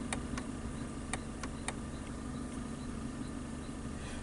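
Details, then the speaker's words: Mitsubishi Lancer, multi-port injection, losing power and pedal response, ABS code stored, owner reported banging: engine idling evenly with irregular sharp ticks and light knocks heard near the gear selector; source unknown. "But I'm hearing some noise coming from by the selector. If you listen carefully."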